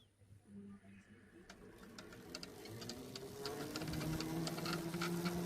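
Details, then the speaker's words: Ola S1 Pro electric scooter ridden daily in the rain for about 2.5–3 months, wheel spun on the stand: dry rhythmic ticking and creaking about three per second, louder as the wheel speeds up, sounding like something broke. Dry suspension bushes. "तो guys भाई देख लिया आपने क्या आवाज आ रही है इसमें ऐसा लग रहा है जैसे कुछ टूट गया होगा"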